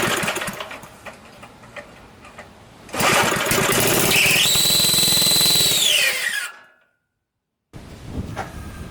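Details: Small petrol engine after freeing a jammed coil and finding a sheared flywheel key: fires, revs to a steady high buzz for a few seconds, then dies; carb and tank need cleaning, recoil screeches.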